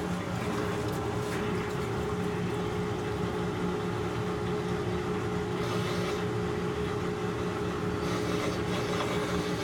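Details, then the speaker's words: Maytag Centennial washer after actuator motor replacement (control board also faulted), running a normal cycle after calibration; steady even motor hum, constant low drone, no knocking or grinding, drum spinning up normally. Before repair it would not spin or agitate. "I can already hear that it's spinning which is good that's in the case that the actuator motor is working and the washer is working"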